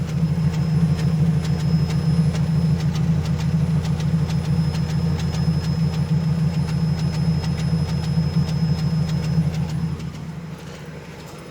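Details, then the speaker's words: Toyota Hilux 3RZ petrol engine idling warm after a short drive, lumpy uneven beat missing about twice a second; misfire, root cause not yet found. "i don't know if you guys can hear the misfiring because this is the only time that i can hear it after just driving it for a bit"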